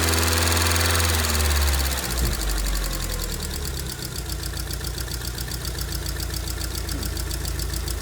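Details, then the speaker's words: 2002 Rover 75/MG ZT with a suspected damaged engine, stored a long while; fast, even light ticking over a slightly uneven, misfiring idle from noisy valve tappets; owner wonders about head gasket or under-torqued head bolt, no obviously bad sound. "but you can see the there are some valve taets there are a little bit noise to the"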